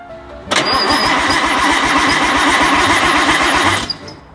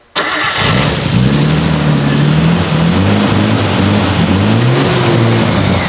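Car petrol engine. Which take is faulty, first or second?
first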